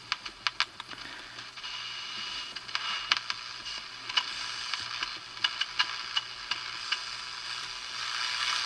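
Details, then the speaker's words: Small battery radio, previously completely dead, gives only crackly hiss with random pops and ticks but won't pick up the local station; a broken main negative battery wire to the on-off switch pin was found, to be resoldered. "You can hear the static and stuff, but it doesn't seem to be picking up the station that's right here in town."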